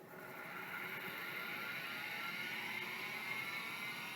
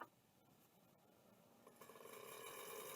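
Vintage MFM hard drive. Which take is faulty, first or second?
second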